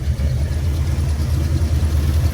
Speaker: All right, now let's see if it will fire up. All right, moment of truth. Let's give it a little gas. And let's open up the choke. Let's hope for the best. Oh, let's go. It was the coil pack.